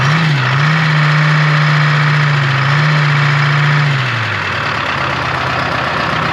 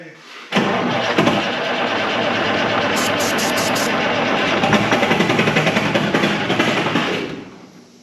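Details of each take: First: 1976 Ford F250 swapped to a Detroit Diesel 453T, sitting since 1996, first start: a steady, even idle with a strong low hum that settles slightly lower. It runs nicely and is not very smoky, though oil pressure reads low. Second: 1976 Ford F250 with a swapped Detroit Diesel 4-53T, sitting since 1996, ether sprayed: long steady cranking with an uneven, churning rhythm that never catches; engine turns over but won't fire, cause suspected, not confirmed.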